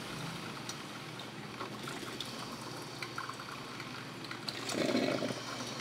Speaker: Ela faz um barulhinho quando está aquecendo a água, certo? Esse barulhinho é normal, gente, viu?